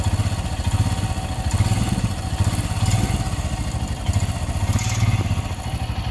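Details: Royal Enfield Himalayan BS6 hot after running over 24 km: single-cylinder thumping at idle with a light, uneven clatter on top of the beat; unexplained noise when hot, cause still unknown.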